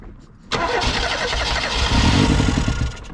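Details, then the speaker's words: 1988 Reliant Rialto non-runner, started at full throttle on brake cleaner spray: catches roughly for a few seconds, stumbles and fades out, unable to keep running; fuel starvation. "yeah now it's R out of fuel it's fuel it's 100% it's fuel 100% has to be"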